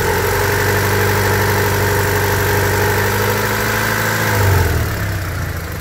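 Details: 1999 Honda Civic EX, D16Y8 engine after spirited driving, burning oil with blue smoke and losing compression: light uneven tapping about three per second over idle, like a bad rocker or lifter; owner suspects worn cylinders causing piston slap, unconfirmed.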